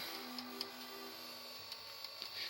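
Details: Philips VR-600 Turbo Drive VCR (Philips mechanism), no picture: faint motor whir broken by irregular sharp clicks several times a second as a broken gear slips in the tape mechanism.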